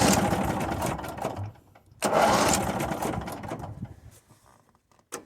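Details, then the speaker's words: Mid-1990s Cub Cadet 1641 with Briggs Vanguard engine, sat three years, previously lacking power: runs roughly, dies, catches again, then fades and quits; intermittent stalling, seemingly relieved by holding a part, with solenoid audible. "I don't think it will, but yep, there we go. That's the problem again."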